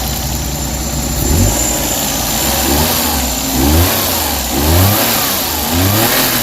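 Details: Suzuki DA64/DA63/DA17 with the air conditioning on, after repairing a burnt, overheating wire: revs rise and fall smoothly over a steady idle, no shudder or knock; the AC-on engine vibration is fixed.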